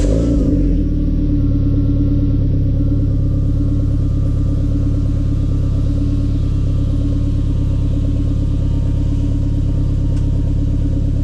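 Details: Renault Megane 2 RS (F4RT) at warm idle after fitting CLM Racing sport catalytic converter, full-tube exhaust behind: deep steady exhaust rumble, even firing, faint whistle above, no rattles or leaks; healthy.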